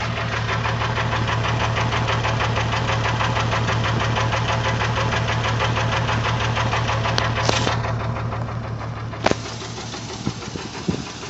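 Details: Jeep engine at idle before shutdown: uneven running with a regular stumbling thump about three times a second, an obvious misfire; owner suspects a broken compression ring, not confirmed.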